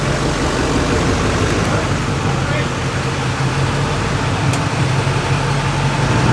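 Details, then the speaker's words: Junkyard LB7 Duramax diesel truck; smooth, steady diesel idle with even low hum, no knocks or misses; runs healthy. "We know it starts. We know it runs. It sounds beautiful."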